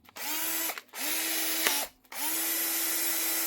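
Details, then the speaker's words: Milwaukee M12 BPD drill after its faulty chuck was replaced with a new one: three short bursts of smooth, steady high motor whine spinning up and coasting down cleanly. It runs normally. "That's him up and running again with his Milwaukee."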